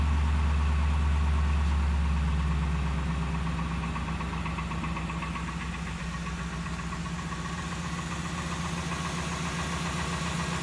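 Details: 2002 Ford F150, 5.4L 2V V8, cold start at idle: a steady fast light knock under a deep drone that eases slightly as it settles, after exhaust gasket, timing chain and oil pump replacement; owner suspects piston slap, unconfirmed.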